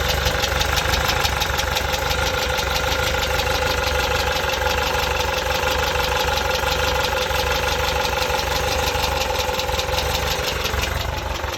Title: Type 4 engine knocking?